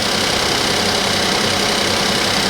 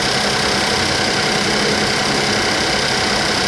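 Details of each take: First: Suzuki Vitara, 19,000 miles, after cold start, with a fuse found pulled: even steady idle with loud hiss, coming down off cold idle, no knocks or misses; runs smoothly. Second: Suzuki Vitara three-cylinder with no dash lights, after ECU-swap trouble: rough, uneven idle with an irregular stumble under a loud hiss, really missing; cause unknown, sabotage by a previous owner suspected; engine misfire at idle.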